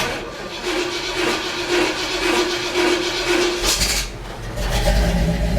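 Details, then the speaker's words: Starter cranking on a cold morning with a damaged flywheel: harsh rasping scrape with faint steady whine for a few seconds as the starter pinion grinds on the flywheel teeth; owner just lives with the racket. "but the flywheel is messed up so it's gonna make that racket and that's just the way it is"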